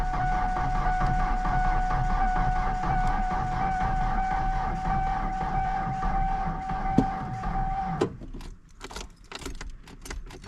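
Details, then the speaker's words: 1993 Ford Ranger that sat for years (last tagged 2012), jump-started, in neutral with clutch in: starter whines steadily and engine turns over about twice a second for eight seconds but never fires; owner suspects a fuel issue, unconfirmed. "I don't know if there's a fuel issue or what's going on with this thing."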